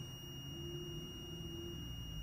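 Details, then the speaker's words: BUNN CWTF15 coffee machine that is not heating, multimeter continuity test on the heating element: a continuous high-pitched beep holds through the test, reading about 13.4 ohms, so the element is good. "so element is good too that means when you hear the beep and it's around"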